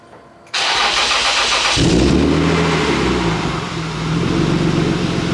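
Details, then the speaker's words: A BMW E36 M3 being readied for sale cranks, catches with a quick flare, then settles into a low, even burble at about 500 rpm with no misses or knocks. This is a smooth, healthy normal idle. "You guys can see how just smooth this car is running, and it's running at 500 RPM, but it's just nice and steady, very smooth, and it sounds good, it sounds healthy, it's really a good car."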